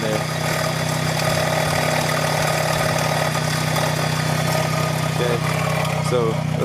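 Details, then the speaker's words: Chevrolet HHR at idle before a belt tensioner replacement: steady idle drone with short high chirps breaking through; belt squeak, not changed by A/C, tensioner suspected, not confirmed. "well y'all can hear that right squeaking"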